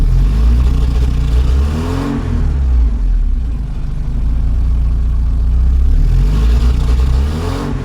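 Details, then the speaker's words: 1984 Porsche 944 NA being tuned with exhaust gas analyzer, fuel pressure about 30 PSI: engine hiccups and surges around 1300 RPM then smooths out; owner suspects fuel delivery issue, unconfirmed. "yeah right around, 1300 RPMs it likes to hiccup a bit [Music] but then it's fine after that [Music] so that sounds like a fuel delivery issue"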